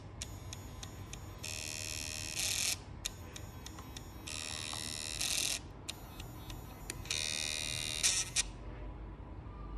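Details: WD hard drive with "No bootable device found": repeating cycle of sharp clicks then high buzzing seek about every three seconds; fix attempts failed.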